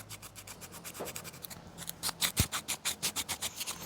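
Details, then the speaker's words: Daihatsu Charade L251 MacPherson strut top mount bearing turned by hand on the bench: rough, dry rasping in quick strokes about three a second, crusty inside versus a smooth lubricated one; dry strut top mount bearing. "you can hear that is not happy. Whereas this one, you have to there's angle grinding going on in the background. Ignore that. But that is so much happier than that one."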